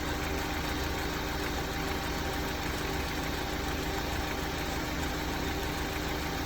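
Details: Honda S2000 at idle, hood open; steady idle with a fast light rattle of roughly three per second from the engine top end, suspected timing chain tensioner rattle or piston slap, not confirmed.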